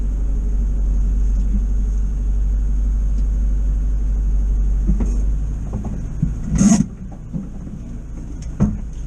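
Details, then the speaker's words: 1973 VW bus, air-cooled flat-four with electronic ignition, after advancing ignition timing a couple of degrees, possibly 27 to 30: steady, quick idle with even low rumble; advanced timing raised idle speed, to be slowed with screwdriver; timing fix cured hesitation. "Yeah, that's whizzing over now. Just a little bit more than I want, so I'll get a screwdriver and we'll slow that down a bit."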